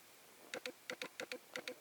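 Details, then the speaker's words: Sony A7S with a Canon-to-Sony autofocus adapter, single-shot AF mode, lens failing to focus. Light paired ticks repeat about three times a second and never settle as the focus motor hunts without locking: autofocus hunting clicking. "just can't focus anyway I'm already too far from my desk space what if we go closer can this thing focus I don't know why it doesn't focus"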